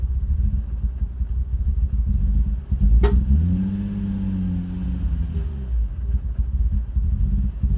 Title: Nissan 350z misfiring and backfiring out intake